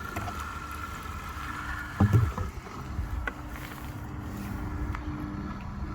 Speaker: that's the characteristic sound of the pump. The pump's away down there, but it's being echoed up, it's being resonated up, the sound's being transmitted up through the pipe, and it's being resonated through the bucket, so you could hear the actual pump doing work.